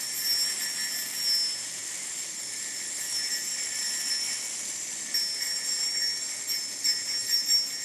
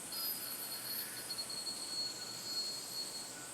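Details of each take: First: Crucial Confection yo-yo with slightly loud bearing: high bearing whir, then a fine buzzing rattle on the fingernail test, showing a medium amount of vibe, not enough to affect play. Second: Fingernail test on a spinning 303 Ti5 yoyo: faint steady high singing tone with no rattle, a very smooth bearing with no vibe.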